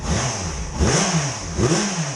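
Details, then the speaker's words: 2005 Yamaha FZ6 inline-four, warm, revved after annual tune-up (oil, filters, plugs, coolant, new gas) following two years unrun; two clean blips climbing and dropping smoothly back to steady idle, no knocks or rattles, sounds good. "She sounds good. No issues."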